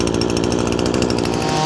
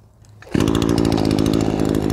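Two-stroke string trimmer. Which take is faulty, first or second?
first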